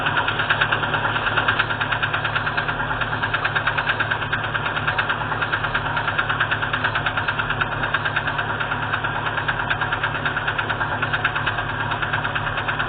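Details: Engine idling with a sharp, regular metallic knock about three per second, steady over the idle; piston skirt broken off, slapping the bore.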